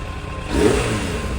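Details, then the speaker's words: Suzuki Bandit 600 after a carburettor rebuild and carb balancing: smooth, even four-cylinder note rising gently with throttle, with no skips or popping; misfire gone, though air mixture screws are not yet adjusted. "not quite perfect I still need to do the air mixed mix your screws but it sounds much better no Miss fire wo it's"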